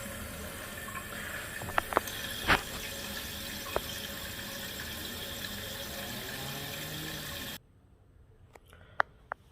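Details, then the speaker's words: Toilet tank refilling after replacing a leaking universal flapper that caused phantom flushing: water rushes steadily in, then cuts off cleanly to quiet with a few drips; refill stops properly, normal. "tank is full you hear that no noise sounds like money in the bank"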